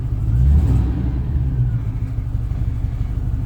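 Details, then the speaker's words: 1972 Range Rover (A Suffix) cold start with choke pulled out, checked for clatter before a drive to investigate a reported vibration (owner suspects a wheel weight); deep, steady low rumble with no knocking or clatter, a clean, healthy start. "Listen to this, see if it clatters. No, it didn't."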